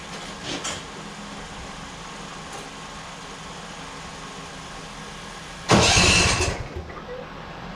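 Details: John Deere Z445 mower after cleaning and reassembling the carburetor for a rough start: small engine hums steadily with one brief loud surge midway, then settles to an even drone; runs fine.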